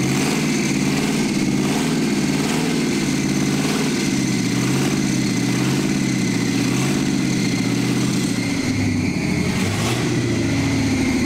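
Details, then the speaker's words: 1971 Jaguar XJ6 small-block Chevy V8, sat 5+ years, after chasing fuel delivery; a fuel filter full of debris had been blocking fuel: steady, even V8 idle with a low, rhythmic burble, no knocks or stumbles, running on its own. Normal idle. "i think it's running on its own whoa it's got a full fuel filter so it had been some right up through here that was causing it to not work well"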